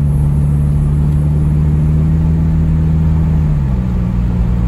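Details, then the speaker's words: 2004 Toyota Camry with replacement transmission, cruising in fourth gear: steady engine drone that drops and settles as rpm falls slightly when the torque converter locks up; a clean lockup with no slip. "let's see if we can get the torque converter to lock should lock at 45."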